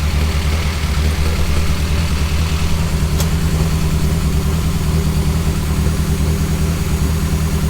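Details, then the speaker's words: Nova with a new 3-inch exhaust, idling about 1000 rpm and running very rich, good oil pressure, noisy head, occasional misfire pops; deep, steady idle rumble with no hiss or puffing ticks, exhaust not blowing anywhere. "Doesn't appear to be blowing anywhere, which is always a good sign."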